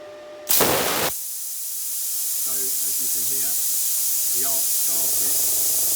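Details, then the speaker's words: Parkside Lidl plasma cutter pilot arc: a sharp hiss as the arc strikes, then a steady airy rush as the small-tank compressor cuts in and air is blown through the tip to cool it; normal pilot arc with the compressor running. "the compressor kicking in. It will blow air through the tip of the cutter automatically, and then it will cut off after a few seconds after it's cooled the tip down."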